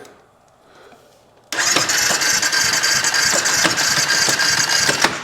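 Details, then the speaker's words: 2016 Honda CBR 300R, started after charging-system check with new battery and rectifier refitted: catches into a loose, uneven knock about three times a second over a harsh idle; suspected broken rod from low oil, not confirmed. "I'm going to chalk this one up to low oil blown up motor sounds like a Rod's broke I can hear it kind of flopping around in there"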